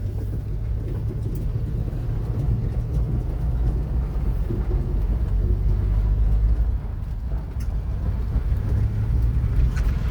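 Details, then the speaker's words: 1981 Volvo 245 driving, second gear, after some fixes: smooth, low, even engine drone with steady pulling and no knocks or misses; engine running normally. "Okay, and just to prove that it actually runs and drives, I don't think I've yet to show a video of it actually moving."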